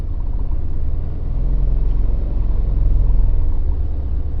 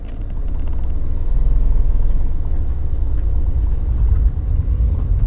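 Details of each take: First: Mini with a manual six-speed gearbox that rattles in every forward gear: rolling in reverse, only a low steady rumble with no knock or rattle. Normal reverse; owner suspects a bearing on a forward-gear shaft, since reverse is on a different shaft. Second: Mini driving off in first and second: deep drivetrain rumble with a loose rattle underneath that starts immediately in any forward gear but is absent in reverse, ruling out the flywheel; suspected failed bearing on a forward gearbox shaft.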